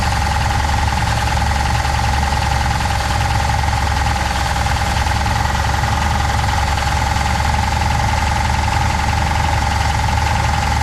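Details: 1966 Pontiac Catalina V8 parked 20 years, no radiator, belts removed: harsh, rapid metallic rattle over steady idle with constant whine, first taken for rod knock; apparently the torque converter weight hitting the flywheel cover.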